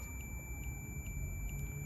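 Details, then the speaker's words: 1972 Suzuki RV90: multimeter continuity tone stays continuous while the contact breaker points are opened, not breaking circuit; faulty points, new set tested. "But when you open and close the contact, the sound is continuous. So, I'll open the contact. And you hear that the sound is still going on. It should turn off."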